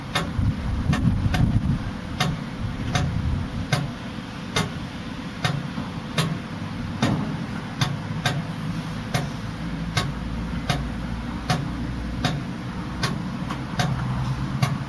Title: 118. 2012 66s making ticking sounds